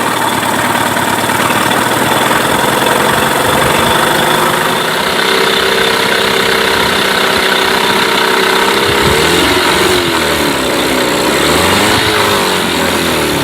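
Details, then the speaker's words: Mercury 8HP two-stroke outboard, sat unused for an unknown time, idling in a water tub on its first test start after carb cleaner and gear changes; a smooth, even buzzing idle with a gear clunk near the end; normal idle. "a wow not bad at all quite impressed to be honest I didn't expect it to"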